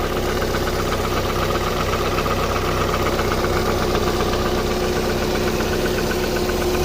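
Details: 2001 Opel Vectra B 1.8 engine: steady idle with a regular light knock, about four a second, over the engine note; knocking from inside the engine, cause unknown.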